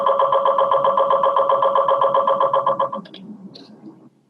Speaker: and then we glue them together so that we can kind of see tiny pieces of the brain um one at a time so that's the noise that it's making that's taking the pictures